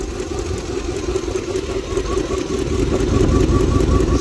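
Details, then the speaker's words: 1999 Dodge Durango SLT, 5.9 L Magnum V8, run after sitting 14 years on fresh gas: rough lumpy idle with a stumble about 150 times a minute; misfire from a visibly arcing spark plug wire, needing replacement. "I almost kind of hear a spark plug wire arcade yeah I hear a spark plug wire arcing over here somewhere"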